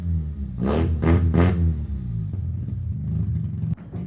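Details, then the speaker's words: Austin-Healey Sprite after fitting a welded Flowmaster Hush Power muffler: three quick throttle blips then a steady low idle burble; deeper, smooth exhaust tone with no rasp or leak. "But so far, I'm rather liking it. It's got a little deeper tone."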